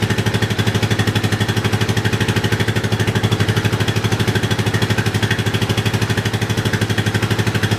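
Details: Yamaha 660 single-cylinder after carb re-jetting for a lean condition, tank loosely fitted; idling and revving with an even steady thump about three beats a second, very little popping or misses, running cleanly.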